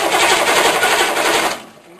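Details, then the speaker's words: Diesel cranked on freshly installed rebuilt starter after engine mount and fuel bypass hose replaced, no glow plugs, batteries not fully charged: fast even chattering crank about 1.5 s, no grinding; starter turns it over properly. "just want to see if it cranks ready crank her up doesn't sound too"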